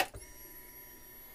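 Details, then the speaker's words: Fuel pump on a DIY budget fuel injector test bench running mineral spirits: pump clicks on, then a faint steady high whine, no surging or rattle; pressure holds at 40; normal operation. "okay you can hear it come on and see it's at 40 we'll dump some fluid goes to 40 we'll dump fluid again goes to 40"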